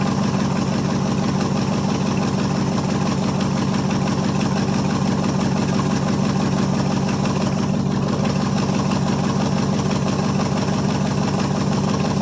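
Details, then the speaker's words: 1973 International 1210 two-wheel-drive 3/4-ton, 345 V8, automatic, two-barrel, on a cold start after nearly two years sitting, coil powered directly: an even, steady idle with a smooth low rumble and no misses or knocks, though the exhaust is leaky. "let's try that and see if it likes that well maybe hey runs pretty good when it's got juice to it"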